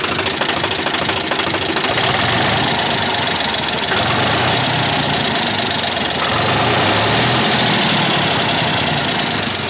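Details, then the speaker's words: Swaraj FE tractor diesel at idle: loud, fast metallic tappet ticking about three per second over the idle; valve clearance too loose, blamed for the tractor bogging under load and high diesel consumption; fix is tappet adjustment. "बहुत जोरों से आवाज़ ए जाती है है ना तो यह ट्रैक्टर में यही फॉल्ट है डीजल ज्यादा खाता है ट्रैक्टर दब जाता है जुटा में तो यह आवाज़ किस चीज की है दोस्तों इसके अंदर में जरूरत से ज्यादा लूज है"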